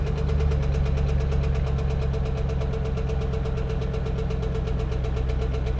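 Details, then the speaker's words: 2011 Chevy Camaro SS salvage-auction car, started on a booster pack: steady V8 idle with a dull, deep, even knock every revolution; owner had hoped for a lifter but calls it a rod knock, needs an engine. "yeah that's a rod knock damn alright alright well honestly guys I was hoping that maybe it was a lifter"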